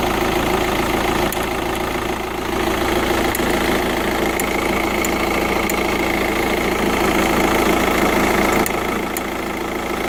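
Light sharp ticks at roughly three or four per second ride over a steady diesel idle; there's a ticking at idle, cause not pinned down.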